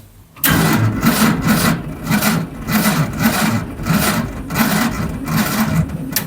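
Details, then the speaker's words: Barn-find Zastava 850, often mistaken for a Fiat 600, left stored for years: the starter drags the engine over very slowly, about two labored compression beats a second, never catching. Tapping the starter helped only briefly, owner suspects dust in the brushes; slow cranking. "so as you seen the starter motor has been tapped enough times now unfortunately have to come out because it looks like it's extremely slow"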